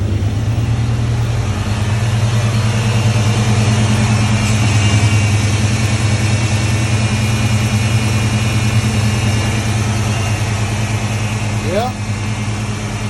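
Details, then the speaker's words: 1995 Ford Mustang after replacing a harmonic balancer that was coming apart, stock crank pulley refitted. Engine catches and settles into a steady, even low idle with no shake or knock; it feels smoother than with the previous startup vibration. Normal idle. "oh it already feels smoother it used to have a little vibration from startup"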